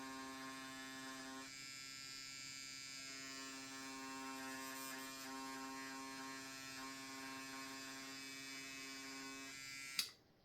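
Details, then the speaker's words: Cheap, tiny, clickerless tattoo pen bought without a kit, possibly set a little too high: high, steady buzzing whine with an uneven flutter. It sounds strange and runs rough, leaving dead spots in orange ink. Cause unclear. "sounds really strange. Well, it didn't even work well on the orange. There's a bunch of dead spots."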